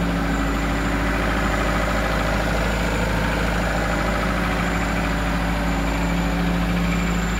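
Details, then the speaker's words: 2002 Kia Visto, revved then released: steady, even engine hum stays high and never drops to normal idle; unstable RPM that also rises after AC switched off, blamed on a dirty or faulty idle speed control (ISC) valve. "Nah bunyi mesin itu tidak turun idle tidak turun selalu tinggi seperti"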